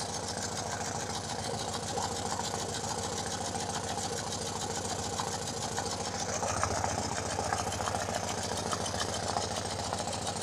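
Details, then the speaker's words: BMW R90/6 Airhead boxer after a top-end refresh with one valve and guide replaced, idling, checked with a mechanic's stethoscope: a light tick of three to four per second on one cylinder side only, absent on the other. Suspected valve-train ticking. "so I can hear a tick tick tick here on this side which is not present on the other side but at the moment it really doesn't sound all that terrible"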